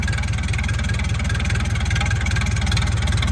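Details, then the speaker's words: Massey Ferguson 168 diesel tractor, restoration, just restarted after about two months standing; deep, even diesel thrum with steady, regular beat and no misses. Idles smoothly and healthily. "So, uh, yeah, she finally lives and breathes and runs again."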